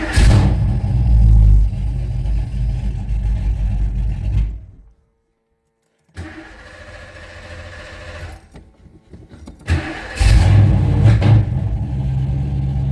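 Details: 1980s Ford Mustang Fox body, 347 stroker V8, TKX 5-speed, after fuel tank installed: deep strong firing settling into a steady throaty idle after a brief pause; starts and runs fine.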